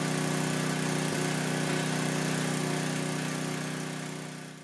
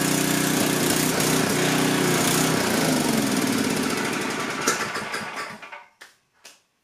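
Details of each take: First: Coleman Powermate 6250 generator, 10 hp Tecumseh engine, after a quarter-turn-out adjustment; even, steady hum at constant speed with no surging or hunting, then fades away, running normally. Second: Coleman Powermate 6250 generator, 10 hp Tecumseh engine, test run after carburetor work with no fuel leaks from the bowl; runs steadily at high speed with a slightly uneven beat, then shuts down; air-fuel mixture needs small adjustment.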